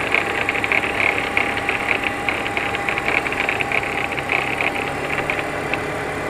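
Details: 2004 BMW E46 325xi warm idle after 15-mile drive: fast light ticking with thin steady whine, began after thermostat and water pump replacement, persisted after new tensioner and idler pulleys; alternator suspected as cause.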